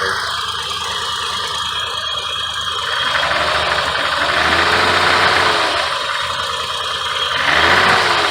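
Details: 1986 BMW 528e (e28), first start, spark plugs just reinstalled, combustion gas test showed no head gasket failure: engine speed rises and sags unevenly with loose metallic rattle on top; runs poorly, cause not yet found.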